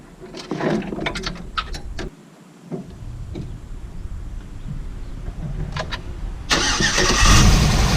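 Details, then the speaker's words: GM LS V8 with accessory belt removed after a grinding noise while cruising: engine cranks with a few clicks, catches and runs without the grinding, so the noise is not internal; a pulley is suspected, possibly the water pump. "all right so that's the first bit of good news it's not internal to the motor so now I just got to check all these pulleys and see which one it is"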